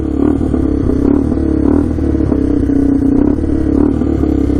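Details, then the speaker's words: Rough full-time 4x4 ATV that sat for years, starting on reserve fuel around 80 degrees and warming up: loud, raspy single-cylinder bark with a rattly edge; exhaust noticeably louder than it should be. "Starting up. Gotta turn to reserve, here we go. The exhaust is really loud though."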